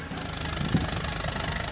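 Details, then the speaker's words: Mercedes C-Class W204 with the M271 1.8L turbo engine after misfire repair, no fault codes: steady, even idle with no stumbles or dropouts, all cylinders firing. Normal idle. "and the vehicle is running perfect. See, active, no rough idling."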